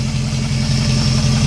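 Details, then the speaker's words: 2001 Jeep Grand Cherokee 4.7 V8, idling after three months unstarted: steady low idle with faint constant high whine; owner says power steering is whining a little, not confirmed. "power steering's winding a little bit I kind of forgot what this thing sounded like"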